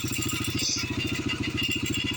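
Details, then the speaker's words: Yamaha TTR125 single idling after carburetor work: quick, even putter with a steady beat and no misses. No fuel leaking at idle. Owner unsure whether the earlier problem was the float or the needle. Normal idle. "well it's running and uh we're not leaking gas while it's running while we're idle so that's good"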